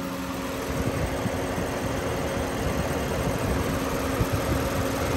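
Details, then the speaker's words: 2007 Lexus at idle with its A/C recharged with 460 g of R134a. Both condenser fans run on high speed because head pressure is 221 psi, with the low side at 25 psi. A steady, even fan roar over the idle with no rattles; it is running normally. "they're both on high speed right now because the pressure is so high 221 and in a minute once the pressure gets down both fans will drop and we won't hear them so much"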